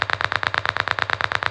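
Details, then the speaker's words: Early-1960s Bendix Sapphire 1 radio for a 1968 VW Beetle, bench-powered by 6-volt battery driving a speaker: loud regular pops about seven or eight a second, no station underneath; same with antenna, light smoke near a coil and capacitor. "So it just makes this obnoxious popping sound."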